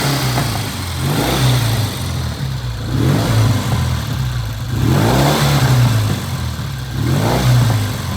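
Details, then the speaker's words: 1972 Triumph TR6 650 single-carb 5-speed, oil-in-frame: repeated blips with uneven popping and spitting as revs fall; owner suspects left cylinder, whose pipe is blue and runs hotter, running lean. "You hear all that noise on the come down? I really think that's coming from the left pipe."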